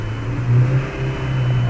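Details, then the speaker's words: 2003 Jetta, manual: driveline vibration around 3800 rpm, heard as a deep pulsing low hum that swells and fades, disappears when the clutch is pushed in; glass of water on steering column as detector; cause unconfirmed. "but I definitely have the vibration I can actually even hear it and then let's push the clutch in and it goes away"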